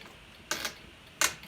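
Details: Arrma Kraton/Outcast 4S RC car, rear differential area, drivetrain turned by hand during driveshaft removal: two sharp dry clicks about 0.7 s apart. Clicking in the driveline, cause not found; the noise then disappeared, possibly related to chassis angle.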